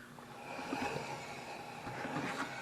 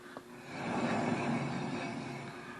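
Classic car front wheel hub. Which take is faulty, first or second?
second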